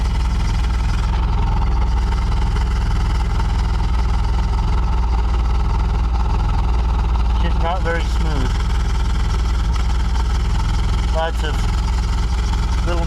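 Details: Chevy Cavalier needing a tune-up, fully warmed up at idle, running hot: heavy low drone with uneven lumpy beat, random misfire; power steering pump pulley squeak also present, cooling fans not yet on.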